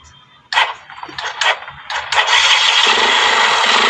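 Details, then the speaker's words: Kawasaki Rouser 135 that stalled suddenly: after joining the two ignition coil supply wires at the CDI instead of replacing the coil, starts and revs with strong, steady, uninterrupted note; no more cutting out. "antin natin ang lakas ba wala ng putol oh so ganon lang ganon lang diskarte doon para hindi kayo magpapalit ng ignition quil"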